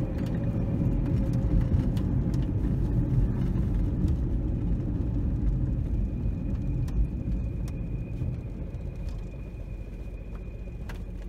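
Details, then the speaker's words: 2004 Chevy Cavalier 2.2L Ecotec running rough, bogging on acceleration with RPM plummeting near stalling, as if on two or three cylinders; codes P0300 random misfire and P0171 lean, flashing check engine light, catalytic converter glowing red. "I can't accelerate just like it's bogging down so the RPMs just plummet almost installing when it comes back up and cars running the real rough right now acts like it's running on two or three cylinders"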